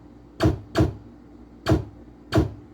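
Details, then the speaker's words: Pinball machine optical switch (opto) after replacement: four sharp, separate clacks about a second apart over a low steady hum, each registering cleanly; switch responding normally. "Normal and good."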